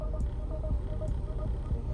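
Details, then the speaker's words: 2010 Chrysler Sebring 2.4L idling in drive after the front and passenger-side motor mounts were replaced. A low steady hum with no thumping or shudder, a big improvement over before. "wow i mean i'm i'm happy by replacing those mounts we have a big big improvement"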